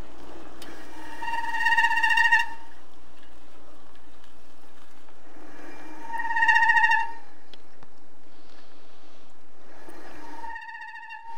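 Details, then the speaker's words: KBO Breeze cruiser e-bike with a 500 W motor, front disc brake during bedding-in after setup adjustments: high squeal in short bursts, one per stop, getting quieter each time until virtually gone; owner may use Squeal Out if it continues. "now as you heard initially when i was doing the bedding process you could hear a squeal from the front brake that got less and less each time i did it you can hear by the last time i did it it was virtually gone"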